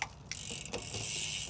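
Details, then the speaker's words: Surly Midnight Special gravel bike with a SRAM Apex/Rival 1x11 drivetrain, B-screw set too close. A couple of sharp scraping clicks on the upshift, then steady chain whir, as the jockey wheels catch on the cassette. Fixed by turning the B-screw in half a turn and then a further quarter turn. "if you can hear that, the jockey wheels are catching on the cassette when it's shifting up."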